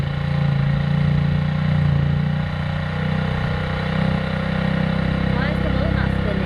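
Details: Rebuilt 50cc GY6 scooter on its center stand, cold start on the second try: fast steady buzzing idle with the rear wheel spinning, held high until it warms and drops to normal.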